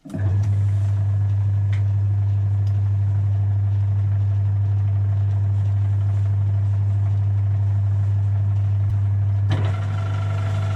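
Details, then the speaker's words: Mini lathe gearbox after replacing a worn brass bush and drilling an oil hole against oil starvation: steady, even motor hum with no clatter or knocking. Previous clattering much reduced after the repair. "Loads better that."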